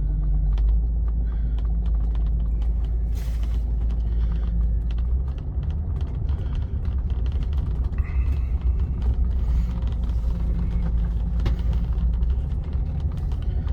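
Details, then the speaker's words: Rolls-Royce on truck tyres driving on wet grass: low, even engine rumble with tyre and grass noise, leather creaking slightly, no knocks or whine; a normal, smooth, quiet drive. "It drives nice and smooth, nice and quiet. You can hear the leather creaking a little bit."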